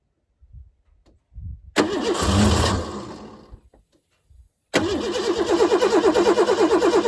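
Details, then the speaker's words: 1988 Ford Bronco II, fresh gas and fuel injector cleaner added, started on starting fluid: starter churns, catches briefly on the spray, then dies; more steady cranking at about three pulses a second without running; crank no start, cause unconfirmed, fuse to be checked. "I think we might need some more starting fluid. I'm not sure, but I'm about out here."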